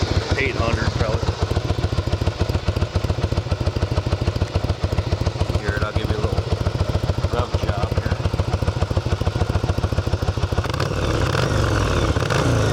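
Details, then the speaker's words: 1982 Yamaha Virago 750 V-twin, 31 years old, fresh gas and oil change: even, lumpy thump at idle, picking up cleanly and briskly on throttle, no ticks or clatter; sounds great, normal idle and revs. "job you can tell this thing uh sounds great it's pretty Snappy for seriously just putting uh some fresh gas in it"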